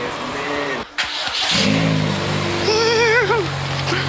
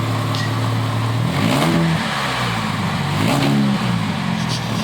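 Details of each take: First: Jake's car after repairing exhaust split by a speedbump with a split flange, rusty studs removed: engine catches and revs cleanly with a deep even note, no raspy blowing or ticking; exhaust sealed and quiet. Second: Car with exhaust split in half after hitting a speedbump, before split-flange repair: loud raspy blat rising and falling with each rev, harsh open rumble; exhaust leak.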